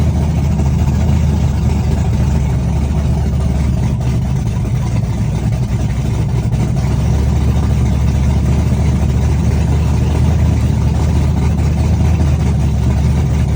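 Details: Chevrolet S-10, first cold start of the day, open headers, Holley red electric fuel pump, cam about .480/.488 exhaust lift, ~297° advertised duration: loud, deep choppy idle with uneven loping beat, running strong; normal big-cam idle.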